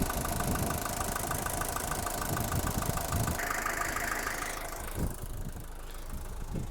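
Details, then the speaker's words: 1977 Mercedes-Benz 240D (W123) diesel at idle, then switched off. An even idle clatter, then the engine stops almost instantly, showing a healthy engine and a working fuel-injection vacuum switch. "it turns off very rapidly which means that the engine is healthy and the fuel injection vacuum switch is functioning properly"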